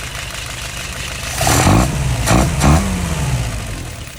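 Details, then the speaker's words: Restored, tested and adjusted 938 fired up, staying dry with no leaks: low, even rumble with a few slow swells as it is cycled through gently, no knocks or rattles; normal running. "Let's go ahead and fire it up. Right on up there."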